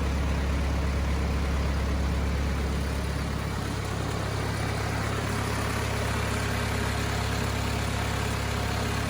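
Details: Cummins 4BT diesel in a Power Wagon, first run since 2015, temporary battery, 8 psi fuel pressure, not hot; smooth even idle, steady low chug of roughly 200 pulses a minute, no misses or knocks: normal idle.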